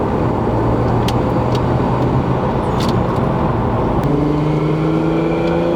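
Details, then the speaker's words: Lexus IS300 2JZ with CX Racing turbo kit, first drive under boost: steady engine drone, then a rising turbo whine and hissy rush. The open-dump wastegate is very loud, and the owner is considering recirculating it back into the exhaust. "everyone was staring at me walking on the street because mortality this wastegate is so loud I have to think about recirculating that back into the exhaust"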